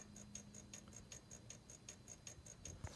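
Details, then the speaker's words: Magnum MS2012 inverter with good DC input but low AC output, no fault codes, switched on with no load: faint crisp ticking about five times a second over a quiet hum; pulsing, unknown whether normal. "if I turn the inverter on for starters it makes a pulsing sound not sure if you can hear that or not"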